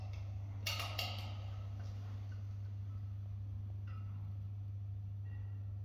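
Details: Building stairwell light on the first level that is flashing: steady low mains hum with a few sharp clicks as it flickers on and off, recorded with a GoPro; cause unknown. Buzzing light fixture.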